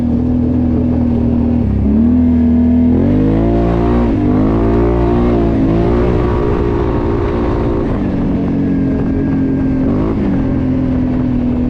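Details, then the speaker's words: Squealing from brand-new brass brake pads on a Can-Am XMR 570 fitted with an RJWC mud edition exhaust and El Comandante tuner: a steady high squeak over the engine, shifting slightly as the machine rolls. "Sure you guys heard the brakes squeaking, but I promise you they're brand new. I just put them on there, but they are the brass brake pads."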